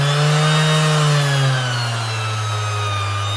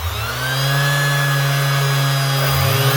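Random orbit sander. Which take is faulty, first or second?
first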